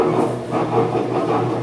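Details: Electrolux top-load washer while washing: loud, rough rumbling grind from a failed lower transmission bearing (ref. 6802), cured by replacing the bearing.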